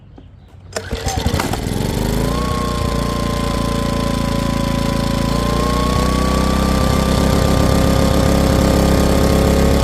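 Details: Powermate PM2000i portable generator after carburetor replacement, first pull start-up: catches straight away and settles into a steady, even drone with no surging or hunting; runs clean.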